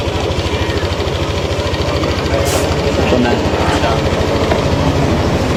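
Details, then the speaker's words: Repaired motorcycle after mechanic's fix, at steady idle: even, quick thumping pulses with no knocking or rattling on top; previous noise gone, engine sounds healthy. "Wala na yung tunog, Daddy Frank. Wala na yung tunog. Oo nga, no? Tahimik na, no?"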